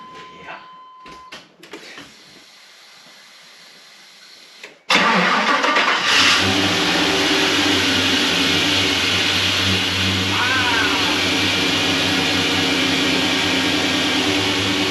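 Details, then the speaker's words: LS-swapped V8 truck after new flex plate and properly tightened torque converter bolts: cranks, catches, settles into a smooth, even idle with no tick or rattle. "No tick, it's amazing what will happen when the bolts are friggin' tight."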